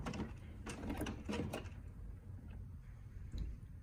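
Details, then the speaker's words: HP OfficeJet Pro 8100 printer, level 1 head cleaning (power held, X twice, paper once), used when print colour is abnormal; button blinks until done: soft whirring, scattered clicks and sliding carriage moves; normal printhead cleaning cycle. "When head cleaning starts, you'll hear this sound, and the button will blink too. And wait. If the sound stops and the blink stops, proceed to step 2."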